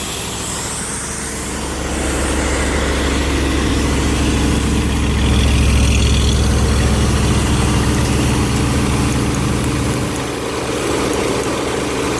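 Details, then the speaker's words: Ford V8 at steady idle after swapping fans between a 302 air compressor and a 351W. Light ticking three to four times a second as the cooling fan blade clips the fiberglass shroud, despite the shroud being trimmed back. "as you can hear it hitting somewhere so anyway I'll I'll get that"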